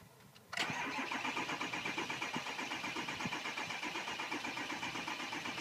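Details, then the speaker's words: 2006 Ford 6.0 Powerstroke diesel crank no-start: starter spins at an even four beats a second with no cylinders catching; scan gauge shows zero ICP, zero sync, IPR 14.81%, low injection control pressure. "here I have another one, crank no start. I've got the, I'm gonna cycle the key. Pick and voltage at 50. Zero ICP, zero sync, IPR at the normal 15% or 14.81."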